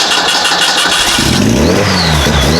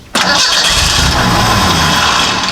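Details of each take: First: Model A hot rod coupe with a 2.3 L Ford 4-cylinder and Duraspark II ignition: with the ignition switch bypassed by feeding 12 volts straight to the coil, it cranks, catches cleanly, blips and settles into a steady, even idle. The ignition switch is suspected. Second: Model A hot rod coupe with a 2.3 L Ford four-cylinder and Duraspark II ignition, new ignition box fitted: catches on the crank with a rough burst, runs briefly, then sags and dies. Won't stay running.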